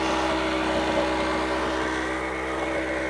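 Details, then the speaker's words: Chinese two-stroke generator, Yamaha ET650/950 clone rated 1250 W, after starter replacement: steady, even buzzing run at constant speed, no surging, misfires or rattles, before a battery-charger load is added: normal running. "all right so there she is running the new starter on there"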